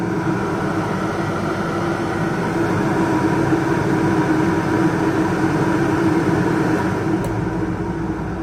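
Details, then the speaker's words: Pulsar PG2200BIS 2200W dual-fuel generator running a Coleman 13.5k BTU low-profile RV air conditioner with no hard-start capacitor or modifications; steady even drone as the compressor starts, no stumbling or hunting; normal running under load. "you can hear the compressor start to run and the air is already called much colder than the fan certain leaves us on love fan for about 20 seconds you can see the generator still what's powering this"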